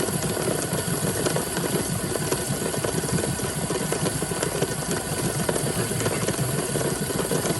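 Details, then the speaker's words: DeLonghi PrimaDonna after full service, hot chocolate function at high density, 2 cups: steady steam hiss from the top with a fine, even rattle of the steam-driven mixer spinning underneath; agitation working normally. "And there it goes, it's spinning away in there. You can hear it moving. You see the steam coming out of the top. The steam is what's rotating the mechanism."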